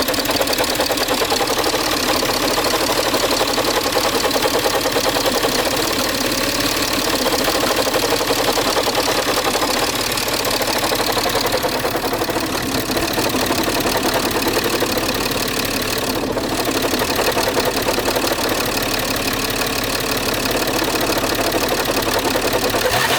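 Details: Peugeot 607 2.7 HDI diesel idling with a steady, rough grinding rasp over the engine clatter, unchanging throughout.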